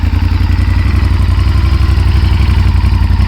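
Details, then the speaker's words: 1998 Honda VTR1000F Superhawk V-twin with Yoshimura exhaust and factory jetting, cold start after sitting a few months. A loud, lumpy beat stumbles slightly as it picks up. Hesitation is noted and a carb service is recommended; cause suspected. "hear a little bit of hesitation, I would recommend a carb service. Bike was sitting for a few months, and we all know what that does to fuel and the carbs."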